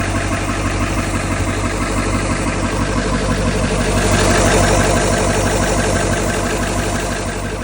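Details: 2000 Ford 7.3 Powerstroke turbo diesel idling with a steady clatter and a regular knock about three times a second; owner unsure whether injector or engine knock.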